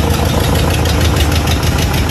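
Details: 1986 Chevy Caprice box body, bought used, at first start: loud, uneven idle with irregular low thumps and a rough chuffing exhaust. Runs poorly, cause unconfirmed.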